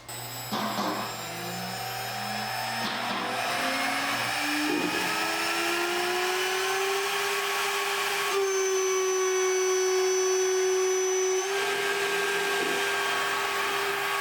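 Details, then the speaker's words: Shariff DMC2 CNC pushed to its limit, 8 mm end mill in 6061-T6 aluminium at about the heaviest cut tried; spindle whine climbs then holds steady, no chatter or squeal, smooth finish: normal heavy cut. "that was around the heaviest cut i did with an eight millimeter tool in aluminum"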